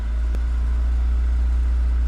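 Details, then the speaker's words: 1989 VW Golf Cabriolet with intermittent fuel delivery cutting out, suspected failing external fuel pump, next-morning start with pump barely audible: engine catches and settles into smooth, even idle, no misses; normal idle. "But it's just fired up and it's back to normal."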